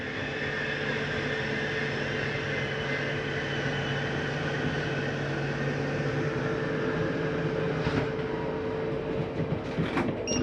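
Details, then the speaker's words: Flagstaff 832IKSB RV slide-out retracting: steady electric motor hum with gear whine, then sharp clicks and grinding at the end. That end noise is the stop mechanism preventing further travel, which is normal. "that little grinding noise at the end? It's not actual grinding. That's the slide mechanism just telling itself, don't go in any further. We're all the way in."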